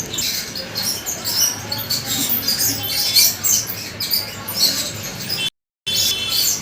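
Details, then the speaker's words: Ceiling fan switched on, irregular high chirps and squeaks over a faint scraping hiss as it turns, from a dry top bearing. "तो जैसे कि आप video में सुन पा रहे होंगे इस टाइप की दोस्तों चूचों की आवाज हमारे सीलिंग फैन में आ रही है जब हम इसे ऑन कर रहे हैं या चला रहे हैं।"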